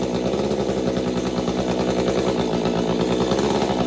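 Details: Stihl MS201TC two-stroke chainsaw after performance work, during M-Tronic recalibration: high-revving buzz with pitch surging up and down before the speed settles.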